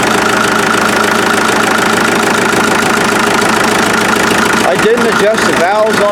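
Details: Rebuilt 1947 Farmall MD tractor running outside just after restart (front end, injection pump seals, new fuel filters, lines blown out, new water jacket gaskets). Steady, even chugging at fast idle with no knocks or misses; running cleanly.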